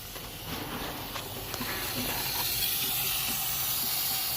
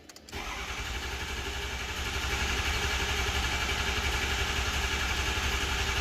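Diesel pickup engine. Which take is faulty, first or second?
first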